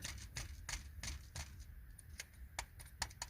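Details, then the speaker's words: Mercedes C-Class W204, belt removed, upper idler roller spun by hand while chasing a belt squeal/whistle. Dry, gritty clicking about six times a second, balls audible. The idler pulley bearing is worn; a replacement roller was ordered. "так и вот смотрите верхний Мне кажется что все слышно как шарики"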